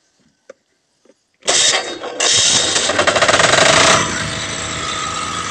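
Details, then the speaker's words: 6GF generator engine that had lost power and had a clattering starter, after a badly leaking tube was replaced. A single clean crank catches at once, with no starter clatter, and the engine settles into a steady run; starts normally. "Ayan guys, one click na siya. Wala na yung sakit sa starter na lumalagatak lang. Tapos umandar siya matagal."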